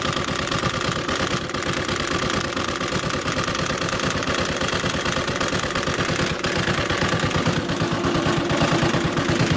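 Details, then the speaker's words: CG 150 motorcycle single-cylinder idling with a deep, rough uneven clatter on each firing pulse, like a stone inside and deeper than valve noise; cause a broken pushrod, oil burnt from poor circulation. "Ahí está por eso era que nuestro motor hacía ese ruido desagradable porque tiene el lápiz o la varilla rota"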